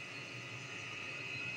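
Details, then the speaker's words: Diesel heater after update, run indoors-powered, previously made exhaust moisture when run in rain: steady even roar with faint high whistle, no pulsing or sputtering, kicking in at higher output; normal clean running. "that would have solved that problem now you can hear that it's kicking in"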